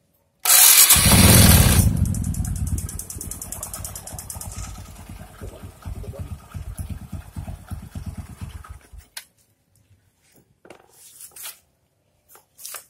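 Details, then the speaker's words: Honda Supra X 125 that ran out of engine oil, starting after a short crank and settling into a quick, slightly uneven idle; it sounds rough, and the mechanic suspects the cam chain or loose valve clearance. "SuperX 125 ini bunyinya kasar."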